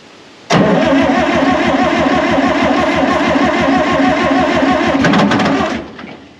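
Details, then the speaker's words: 1960 John Deere 440 backhoe, supercharged two-stroke Detroit 2-53 diesel, sat for years, previously seized; cranking to get fuel pump priming before battery and starter wear out. Even rapid chugging five seconds, no catch: crank no start, fuel not primed. "if we can give it a couple sniffles to try to get this fuel pump working before we completely burn our battery up and burn our starter up we're going to try to do that"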